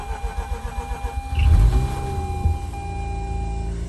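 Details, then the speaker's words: 2004 Mazda RX8 manual, unstarted for two years, after sitting overnight: rapid cranking about a second and a half, catches at once with no throttle and settles to steady even idle; owner thinks it relearned fuel trims. "I don't even have my foot on the gas. Started right up. That is exciting."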